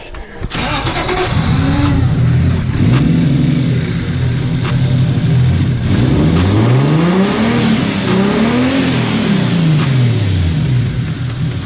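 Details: Car with MAF sensor wet-running issues, possible blown head gasket: restarted after blowing water out of the cylinder, revs climb and fall unevenly, stumbling mid-rev; misfire-type stutter. Stutter when revving, water suspected, not confirmed.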